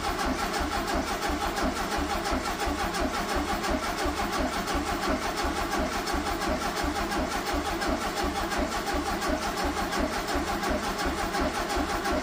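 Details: 1974 (owner believes) VW Super Beetle sat 8 years, fuel line run into a jug to check flow while cranking: steady, unbroken starter cranking at about 86 compressions a minute with no fuel delivered. It cranks but won't fire; the owner suspects a bad fuel pump.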